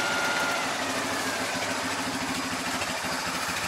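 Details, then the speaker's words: Jaguar, hand throttle down, ticking over after starting in snow: even settled idle with soft steady beat, no misses or hunting; quiet, smooth, not vibrating; normal idle. "why that's that's running lovely absolutely lovely it's really quiet smooth it's not vibrating or anything"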